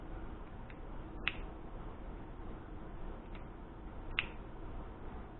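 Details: New kitchen pull chain light switch, ohm-tested good before fitting, worked by hand: two crisp, sharp clicks a few seconds apart over a quiet room; a good switch, unlike the worn old one that gave no click.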